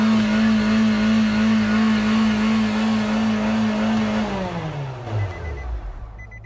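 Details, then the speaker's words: Car came in as taking off on its own with the accelerator not slowing down; engine holds a hard, steady high rev with no throttle change while on the brake, then winds down once freed; a floor mat was jamming the gas pedal. "it helps if you don't put your your M there on your God gas pedal"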